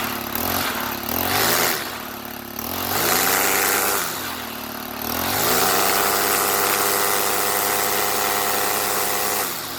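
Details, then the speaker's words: Stihl FS90R string trimmer two-stroke after spark plug replaced with aftermarket plug: revs rise and fall, then steady clean high buzz, running normally. "Sounds good, I guess."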